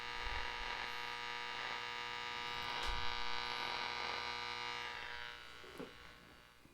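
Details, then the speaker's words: Nordmende Othello Z 320 radio on broadcast band with ferrite antenna: static with steady hum and a buzz pulsing about four times a second, no stations; band switch miswired so broadcast band is assigned to shortwave 1. "I put the antenna, the ferret antenna. I activate it. Nothing. but static and a pulse. It's pulsating. I don't know if you can hear it. Buzz, buzz, buzz."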